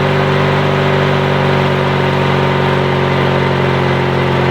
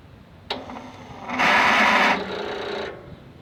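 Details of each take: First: Yard Machines/MTD lawn tractor, 20.5HP Briggs & Stratton twin, after new starter, solenoid and battery: fires up and settles to a smooth, even drone with no knocks or misses; runs healthy, no-start fixed. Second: Yard Machines/MTD lawn tractor, 20.5 HP Briggs & Stratton twin, starter jumped directly with a jumper: click, then rising whine as the starter spins without engaging. Battery seems too weak and the key switch is suspected; the starter and solenoid were later replaced.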